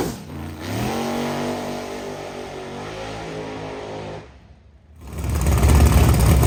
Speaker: our TPS was failing the minute I went on the trans brake that's why you hear it going the TPS was failing again so it's either over rotating it or we got a wiring issue